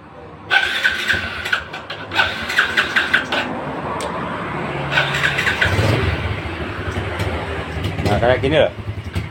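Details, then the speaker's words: Yamaha Vega R motorcycle left overnight to test a cold morning start: repeated short starter bursts that won't catch, and it stalls when throttled until the combustion chamber warms. "Hari ini saya kedatangan Vega R ya ini membawa masalah kalau motor dingin lebih-lebih untuk pagi hari sangat-sangat sulit sekali untuk hidup motorik"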